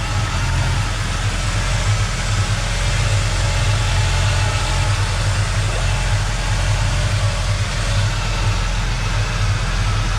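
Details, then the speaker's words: 1986 Mustang SVO after replacing the tubular header with a factory exhaust manifold and refitting a leaking bolt; deep, even idle with a steady low rumble, no exhaust leak ticking or puffing; slight residual smoke burning off. "that's a lot better sounds a lot better it's starting to smoke but that's going to be some residual that'll burn off"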